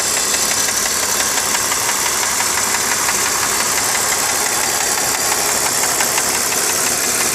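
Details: BMW E46 325Ci with M54 engine, warm: light, fairly even ticking about three per second from the front of the engine, only at idle; cause not identified.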